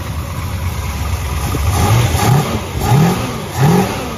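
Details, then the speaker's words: 1967 Dodge Charger, new rebuilt 383 big block with aluminum heads, after correcting distributor timing to about 24 degrees base: catches, steady idle, then crisp clean rev blips; runs healthy, only mild carb tuning needed. "it actually sounds good now other than the mild tuning issues"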